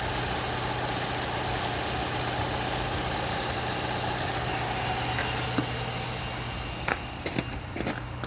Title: Knocking sound coming from under the engine Opel Astra H 1.4 66kw.